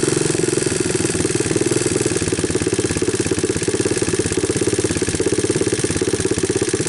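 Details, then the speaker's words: 1988 Honda TRX200SX abandoned for years, cold started with a new PZ27 carburetor and bypassed harness, camera close to hear the valves, idle turned up on choke: a single cylinder thumping at a steady, even idle with no knocking or missed beats, a healthy motor. "let me pick up the idle a little more I wanted to bring the camera a little closer so that you guys can hear the valves and all"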